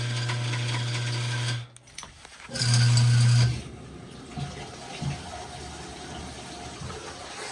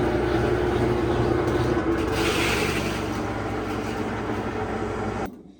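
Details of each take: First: GE top-load washer GTW220ACK, filled with water, service mode test 15 (agitate): a loud, low buzzing hum in two bursts, then a rough rumble with water sloshing. The drive belt is shredded and the speed sensor destroyed. The washer won't spin. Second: GE top-load washer GTW220ACK in service mode after repair of a no-spin, loud-grinding fault (broken pieces, oil found, pulley reinstalled): steady motor hum and low churning rumble, normal spin and agitate; transmission suspected failing.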